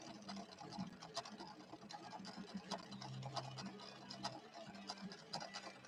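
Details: Late-1970s Viking Husqvarna 6460 Colormatic after several repairs, sewing a red decorative stitch with Gutermann polyester thread and a 90/14 Schmetz universal needle: quiet even stitching clicks at a steady pace with soft motor hum; normal sewing.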